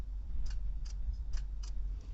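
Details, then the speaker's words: 2009 Honda Civic that suddenly stopped starting: a few faint sharp clicks from the starter solenoid at the key with no cranking; fault traced to the starter. "okay so when I try and crank it all I get is a click"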